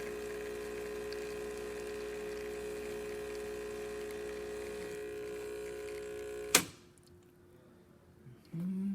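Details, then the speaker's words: Isomac espresso machine after service with replaced pump (had been humming) and a valve that was not opening fully: even buzzing hum steady for about six seconds, then stops with a click; normal pump operation. "and there you have it isomer working once again"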